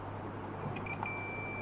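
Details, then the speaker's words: Panasonic 42-inch plasma TV, dead with no standby light: continuity test on Schottky diode on cold side of power board transformer, steady high beep starting partway in and holding; shorted diode, to be replaced. "so let me test source okay so put my multimedia and yep that shot that say it short"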